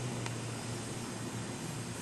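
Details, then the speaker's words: Wollensak Model 1288 stereo tube tape recorder after amplifier restoration, playing blank tape after a right-channel test recording: steady, even hiss over a faint low hum, no crackling or dropouts; clean, healthy playback. "And now for some tape silence. So let that go for a second."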